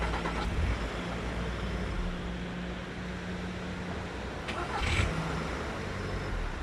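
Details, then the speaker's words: Skoda Fabia Mk1, cold morning start, phone outside the car, after removing the starter, greasing it and replacing brushes: quick clean crank and catch, steady low idle, no post-start starter noise; fixed. "huh so i hope you can hear it that the sound is gone and um yeah so let's consider the starter repaired everything seems to be fine it's not making that sound anymore"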